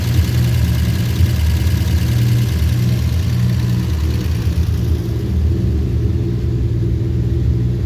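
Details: 1949 Studebaker with hard-start complaint, started after a couple of accelerator pumps: deep steady even rumble at idle, no knocks, misses or surging.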